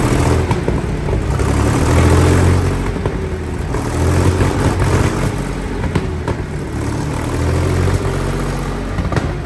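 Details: Centurion ARV after the magneto timing was realigned to the crank: a deep multi-cylinder rumble that swells and eases with throttle, firing evenly with no knocks. Owner says the timing is right, though fuel pressure is low. Normal running.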